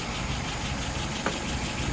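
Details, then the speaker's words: Restored engine with rebuilt, adjusted carburetor: steady even low rumble, smooth settled idle, no misses, knocks or hunting; idle about 660 rpm, fuel pressure 2.75, vacuum about 23, no leaks, float set right; normal idle. "All right, float set right. Current numbers are idle RPM is about 660."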